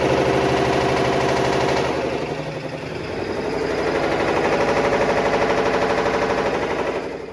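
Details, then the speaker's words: Black & Decker BPW30MW 3 cu ft portable washer, about two years old, loud knocking about three blows a second during spin, traced to the clutch assembly and belt, fixed by reinstalling the clutch assembly. "I have a Black & Decker 3 cubic foot portable washer that I purchased about two years ago that is now making loud knocking noises and it's gotten to the point where it is very noticeably loud"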